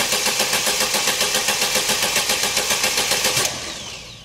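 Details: 2011 Opel Meriva, stone-cold engine on a cold day, complaint of hard starting on cold mornings; starter churns evenly about four compressions a second for three seconds without catching; extended crank from a faulty coolant temperature sensor, with no fault codes stored.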